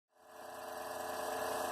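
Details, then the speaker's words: Noisy CPU heatsink fan in a roughly 10-year-old PC that also has a case fan and power supply fan: loud, rough, constant whirring drone rising from silence and holding steady, from the worn CPU cooler fan. "however it became really noisy the CPU fan there are three fans there's case fan there's a fan in the power supply and there's the CPU and this guy"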